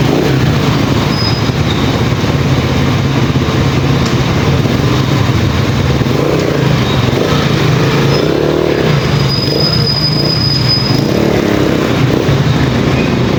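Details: Pantra-type motorcycle with primary-type stator, previously very hard starting, now starts easily after converting to a Lihua 4-pin CDI; smooth, continuous low engine note, no ticking or misfire. Normal running.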